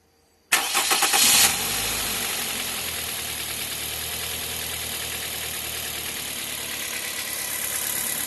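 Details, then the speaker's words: Toyota Corolla engine with accessory belt removed, after water pump was heard knocking: brief crank, then even idle with no knock, only the engine's normal characteristic sound; noise traced to the belt-driven accessories such as the water pump. "e pode ser em mim botou não faz um barulhinho só barulho original característica do motor mesmo e nada nada agravante"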